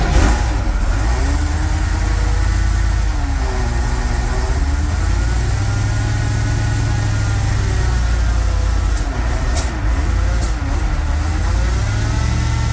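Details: 1969 Ford F-100 with a naturally aspirated 460 V8, first start before cam break-in, GoPro under the truck: rumbling idle with a wavering, grinding whine rising and falling; drivetrain whine, cause not yet found, and it nearly died.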